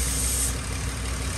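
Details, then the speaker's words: 2002 Ford Explorer at steady low idle, lean codes P0171 and P0174 on both banks, running rough; thin airy hiss from hole in cracked purge valve line to back of intake, a vacuum leak. "oh you hear that yeah this Line's got a hole in it right here"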